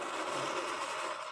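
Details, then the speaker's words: Fire Maple Petrel ultralight isobutane stove burner lit and briefly running: steady even roar like a little rocket ship for about a second, then shut off. Burner working normally. "And it sounds like a little rocket ship."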